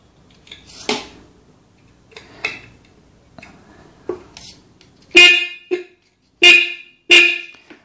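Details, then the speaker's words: Sealed motorcycle horn with a good coil, tuned with its adjuster screw under battery power: short sharp honks in a few bursts with gaps, bright buzzy tone and clean onset; horn now sounding properly. "so this way you can properly tune your horn and it will start working just like a new one"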